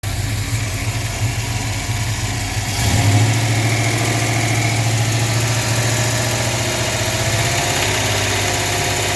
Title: Dart engine knock 2 of 2.